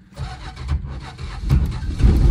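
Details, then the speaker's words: 1974 Dodge Dart Sport slant six, off the road 17+ years, after timing adjustment: uneven, lumpy low rumble with surges and stumbles, gutless, heavy smoke; suspected way too much timing and a bad intake valve, not confirmed. "still acting like too much timing but also not enough timing you know what that means well it means the firing order could be wrong but in this case it's not so maybe it's way too much timing and a bad intake valve to so violent so gutless"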